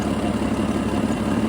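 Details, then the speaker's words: Jeep XJ just after replacing a bad fuel injector under warranty: petrol engine idles smoothly and evenly with a soft, steady hum, no stumble or miss; much smoother than the earlier rough idle. "I'll pull up the old version, if I can find it, of how it was idling, roughness, and compare it with how it is now. It's much smoother."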